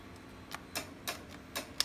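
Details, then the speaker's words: 2007 Can-Am Outlander 800 whose battery keeps dying: a handful of light, dry ticks in quick succession with no crank following. Starter clicking, likely from the weak battery (suspected). "we're actually having a few problems with it right now like my battery is"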